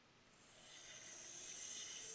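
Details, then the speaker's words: Solectria motor controller with encoder signal disconnected (simulated with adapter): thin high arcing-like hiss, no motor tone, from MOSFETs switching while the motor is driven by a slow ~0.9 Hz sine wave at about 54 RPM; causes vehicle creeping. "so this is that noise you get where it's just kind of it sounds like it's arcing but it's not it's actually just a really slow sine wave"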